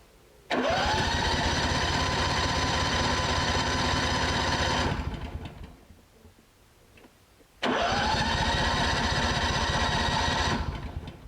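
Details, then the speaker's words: Honda generator that sat about 7 years with old gas, cranked after carburetor work with fuel confirmed. Two bursts of about four seconds of cranking with some firing, each dying off with no run. "we still we have fuel we're getting fuel we don't we just don't have a run we have somewhat of a kick something's trying to happen"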